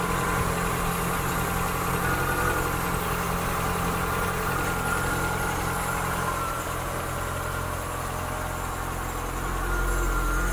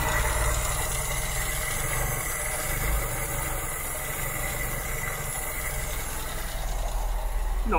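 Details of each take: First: 1972 Mk3 Ford Cortina GXL just fired up after a service and tune-up, cold start ticking over fast on the choke: a steady, slightly raised, even low rumble with no knocks or misses. The ticking is the PCV valve, which always ticks. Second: 1972 Mk3 Ford Cortina GXL during a tune-up, idle set too low: a steady, slow tick-over with light PCV-valve ticking over a low rumble, just before the idle is raised with a long flat-blade screwdriver.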